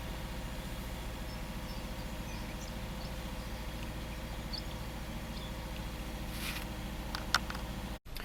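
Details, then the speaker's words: Subaru flat-four, six-speed manual, first start after exhaust valve repair: even steady low idle rumble, no misses or ticking; roughness monitor readings all zero, idling smoothly. "so on our roughness monitor all the readings are zero it's idling very nicely"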